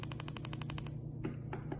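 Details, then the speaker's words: Coil-on-plug on a bench test driven by a signal generator, duty cycle lowered to minimum dwell: crisp spark snaps about thirteen a second fade to almost nothing; weak spark from too short coil dwell time. "you get to nothing so very weak spark minimal dwell time"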